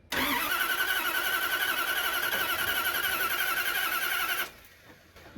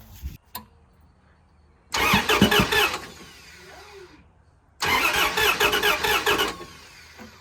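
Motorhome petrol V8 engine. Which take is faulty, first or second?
first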